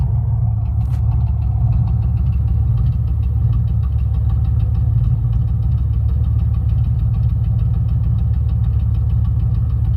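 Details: 1994 Camaro LT1 V8 idling with lumpy, uneven beat and light ticking, misfire from a burnt-through spark plug wire; wires rerouted afterward and fine since.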